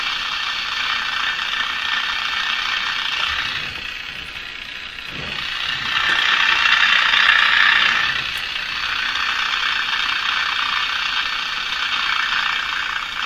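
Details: Crosley Moffat G-165 five-tube radio with three paper/wax capacitors replaced, tuned to a station with steady hiss and irregular scratchy crackle over it; owner suspects interference or dirt in a capacitor; crackling fault remains.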